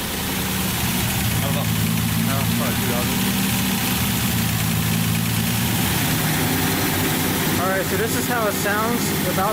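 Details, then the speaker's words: Datsun 280Z with freshly rebuilt engine, first start, running a little rich, no muffler fitted, not yet at operating temperature: a steady, loud, raw open exhaust bark at idle. Loud exhaust, no muffler. "on funder actually pretty loud"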